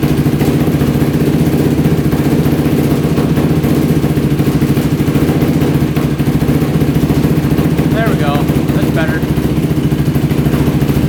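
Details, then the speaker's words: Yamaha YFZ450 quad at its first start on choke, using a jumper pack, gives a loud, busy idle that wavers and struggles. The pilot is suspected slightly rich, and raising the idle and turning in the fuel screw helped. "so it looks like um we're probably just a little bit rich in the pilot that's why it's having a hard time idling"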